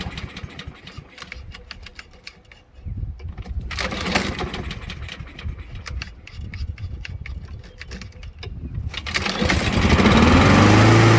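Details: Small-engine lawn mower right after carburetor cleaning, fuel turned back on with empty carb: several rattling pulls on the starter, then the engine catches and settles into a steady, even run; running fine.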